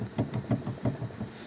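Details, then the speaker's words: VW Passat B5, crunching when steering turned right; outer CV joint removed from hub and rocked by hand: quick dull metallic clacks about six a second. Worn, broken outer CV joint, replaced with SKF joint and boot. "так показую як стучить шрус ось розбитий"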